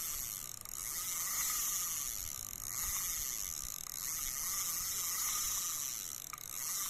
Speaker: คิกเสียงดังดีครับอ่าหมุนเดินหน้ามีเสียงแบบนี้นะครับก็หมุน่นประมาณนี้